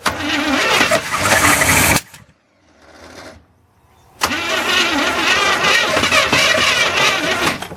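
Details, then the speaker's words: 1981 Chevrolet/GMC square body truck, sat in a field 25 years, new ignition module and spark plug wires; two-second burst of running, a gap, then it catches and keeps running rough and uneven; engine starts and runs. "Okay, we got spark. She likes her fuel."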